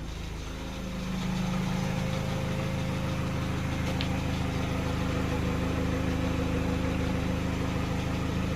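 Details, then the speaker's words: 2012 Peugeot 208 1.4 VTi after repair and adaptive relearn, bonnet closed, warming up toward 90°C: quiet, smooth, even idle with a steady low hum, no stumbles or misses, running beautifully. "It's running beautifully. Right, so while I put my tools away, we let the thing to warm up, and then we'll proceed."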